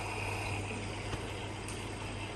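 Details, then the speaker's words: Electrolux EVKF 12844S touch-key washer in diagnostic test mode, both inlet valves open together filling the softener compartment. Steady low valve hum under an even rush of water, with no chatter or buzzing; a normal fill. "Tiếp cái nữa cả hai van hoạt động lấy nước thơm."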